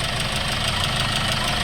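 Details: Hyundai Starex D4CB CRDi diesel, replacement engine fitted for blow-by, new radiator, running a long while at normal temperature, no leaks or smoke: steady even idle clatter, no stumble or odd knock; engine runs smoothly.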